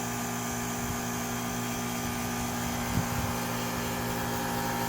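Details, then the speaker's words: Home AC outdoor unit about 3.5 years old, with the house at 81°F against a 68°F setting. Steady compressor hum with no fan whoosh: the condenser fan is not running, which the owner suspects is a bad run capacitor. "Okay, you can hear the compressor working, but the fan is not moving."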